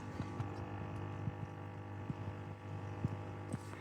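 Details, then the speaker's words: Lay-Z-Spa/MSpa inflatable hot tub after fixing E1/F1 no-flow error, water above minimum line: steady low filter pump hum with light clicks, even and grind-free; pump running normally, heater on, error cleared. "So I'll try and show you the remote. It's because it's LED, you can't see it, but you can see it's not got the E1 error anymore, and you might be able to hear the filter running."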